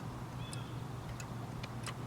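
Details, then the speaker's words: BMW F650GS motorcycle rear brake light switch after changing brake pedal height for street use: crisp light clicks at uneven intervals over low hum as pedal moves; relay switching normally, switch contact adjusted. "this is the the switch for the rear brake light so you can hear the relay there clicking"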